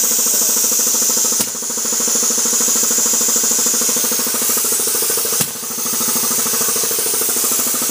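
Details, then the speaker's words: 50+ year old vintage Tecalemit compressor pump on a small tank: fast, even piston chatter at roughly three beats a second with a bright airy hiss, running smoothly. A bang heard is just the release valve. "okay so yeah it works perfectly on that noise that bang was just release valve because the compressor is so small"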